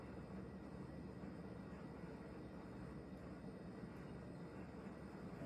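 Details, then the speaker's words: Late-1980s CEC Newport 42-inch ceiling fan at high speed makes a steady low whoosh with a faint buzz. The owner suspects the globe; the noise sometimes stops when it is touched and then returns. It was not making this noise before. "we'll kick it up to high it does make a noise but I think that's the globe"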